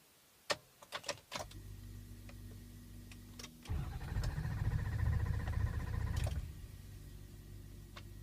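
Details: 2003 Ford Excursion 6.0L Powerstroke diesel, hot after stalling: clicks, cranks about two seconds, catches, runs briefly and dies. Hot restarts take several tries and waiting, though it starts well cold; cause unknown.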